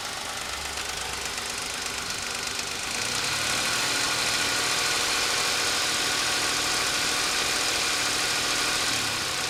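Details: Suzuki Escudo H25A engine running: sharp, regular tapping about three to four times a second, a knock from inside the engine; source unknown, mechanics unsure and suggest disassembly.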